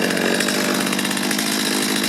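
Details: Stihl chainsaw after carburetor cleaning and adjustment, previously hard to start warm and bogging: screams at a steady high pitch holding even revs with no bogging or stumbling; runs strong.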